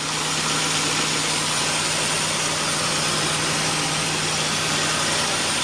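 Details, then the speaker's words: 2004 Nissan Xterra, naturally aspirated, idling just after installing a Volant cold air intake: steady idle under a loud constant airy hiss from the intake side, new to the owner; cause unclear. "It's a little bit of hiss that I'm not used to."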